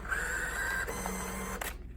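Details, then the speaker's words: Coinco bill validator (BA/Mag/MagPro/BillPro series): a motor whirs drawing the bill all the way in, stops with a click, then reverses it straight back out, rejecting every bill. The unit is faulty and needs repair. "you put in a bill, all the way in, all the way out, it's bad, needs repair."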